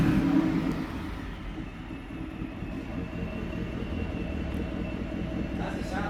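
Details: 2024 Ford F-150 single cab, 5.0 V8, after a Corsa catback exhaust install, checked for leaks. A low, steady, even rumble with no ticking or puffing at the joints; normal smooth idle.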